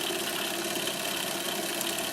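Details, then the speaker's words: Monroe LA-5 motorized mechanical calculator, first power-up in decades: even, high-pitched whir with faint crackle, likely governor sparking, speeding up then steady at speed; may be dragging slightly. "I hear the sparking of probably the governor, which is kind of typical. Seems like it's speeding up a bit there. I think we're up to speed. Seems like it might go a little faster than that, but hey, it's running!"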